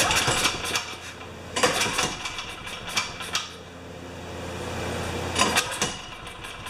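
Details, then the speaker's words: Makita G2400R 2400 W generator that sat a long time, running on fresh gas: stumbles and surges unevenly with irregular bursts instead of a steady beat; rough running, carburetor problem suspected. "idle so it's not right okay let's turn this thing off hook all it runs not great but it runs"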